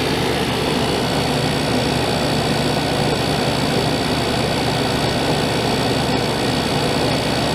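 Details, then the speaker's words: 1989 Crest (Fedders) 5000 BTU Carry Cool, compressor running about five minutes after its first start since cleaning: steady, even hum and airflow rush with no knocks, rattles or pitch change; compressor and fan sound healthy. "very quiet I hear refrigerant for about five minutes now oh cool very nice"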